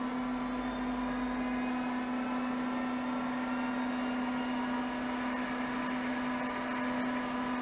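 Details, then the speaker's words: 1980s CDC Finch 8-inch hard drive under revival, spinning up and running its self-seek test: smooth, even motor hum with steady whirr and light head ticks, no rubbing or scraping; seek fine, parked over track zero — normal. "it did it self seek test it sounds good it's sitting over track zero"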